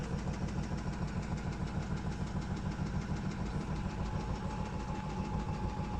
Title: Стиралка стучит